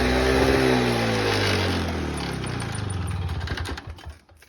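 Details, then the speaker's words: 1987 Toro GTS 21-inch mower with Suzuki two-stroke engine, cold start: crisp, buzzy note runs evenly, then revs drop smoothly as it winds down; runs very well. "So yeah, that's sounds pretty good, runs very well, pretty happy with it."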